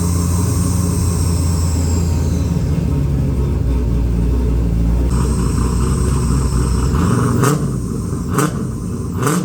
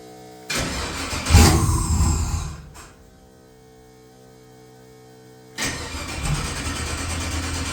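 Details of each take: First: XG ute, converted from carby to Holley EFI, first start: engine catches without throttle help (no throttle cable, idle screw turned up a turn or two) and settles into a steady, even low rumble at idle; normal start and idle. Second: XG ute's first start after converting from carburettor to Holley EFI, O2 sensor added: catches and revs briefly, then stops, then fires again into an uneven idle; hard start; it later fired without throttle once the idle screw was turned up.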